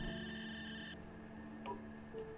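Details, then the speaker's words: MF/HF GMDSS radio station DSC individual safety call tested with MRTS-7M tester at 40 dB attenuation; steady electronic alert tone about a second as the tester receives the call, station working correctly. "We hear the sound and see that the tester received the call successfully. It means that the station works correctly in this mode."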